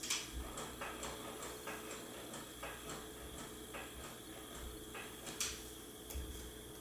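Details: A new Fisher-Price Cradle'n'Swing loaded with a book of about four pounds: for a few seconds at startup the swing motor makes a quick regular clicking, about three a second, with harsh grinding bursts.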